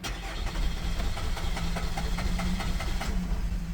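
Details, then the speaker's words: Holden Captiva 2.2 diesel that knocked, pinged and stalled after EGR replacement and wouldn't restart: steady cranking with uneven firing attempts that never catch while the fuel system is pressurized to bleed it; air in the fuel lines. "But like I said, I gave it full pressure on this to try to bleed it out."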